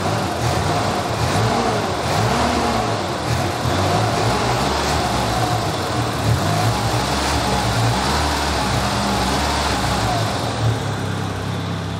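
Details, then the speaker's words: Nissan 200SX turbo after a walnut was removed from the turbo, running in limp mode because the MAP sensor is not connected: a steady, even engine note with no whistle, rattle or scraping from the turbo. Sounds much quieter; normal running. "it's running like it in safe mode in limp mode because I don't have the map hooked up it always kind of runs like that"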